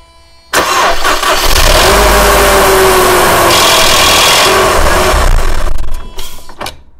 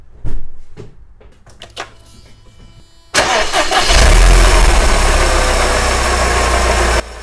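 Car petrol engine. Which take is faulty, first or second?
first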